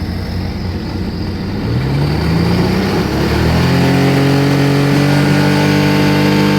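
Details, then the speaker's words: Sea-Doo RXT engine after fixing a coolant leak into the crankcase, cold oil, oil pressure 33 at idle, a little over 40 with RPM: pitch climbs smoothly from idle to a steady higher speed with no knocks; normal revving. "So let's fire it up, see what we got. Looking good."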